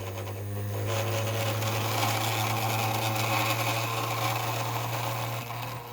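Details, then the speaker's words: 3D-printed maglev rotor: steady low hum with buzzy rattle throughout, the noise coming from vibrating components of the unstable base rather than the rotor itself. "yeah all that noise you hear is the vibration from the components not from the rotor itself it's a shame too i should have taken more care to build a stabler system"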